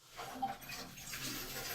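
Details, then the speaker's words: Newly installed well pump switched on after wiring: steady rushing water hiss builds within a second and stays even; water flowing, pump working. "Whoa. That sounds to me like there's water flowing."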